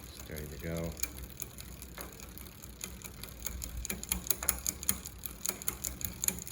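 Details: New Velotric electric bike rear derailleur after loosening the barrel adjuster counterclockwise, which fixed failure to shift from 7th into 6th and 5th: crisp single clicks stepping through every cog, no grinding; normal, clean indexing.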